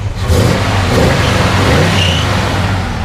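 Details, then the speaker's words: 1970 Chevelle SS454, LS5 V8, factory 4-speed, just started: deep rumble swells cleanly on quick throttle blips, pulling strong and even with lots of torque, no knocks or rattles; normal revving. "you know it sounds good and this starts up like that every single time just give it a little throttle just quick a lot of a lot of torque do that again"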